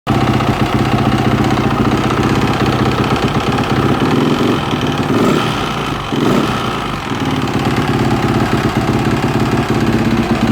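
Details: Yamaha 450 YZF single-cylinder idling: busy idle with dense mechanical clatter over an even beat; engine noise suspected abnormal, cause unclear.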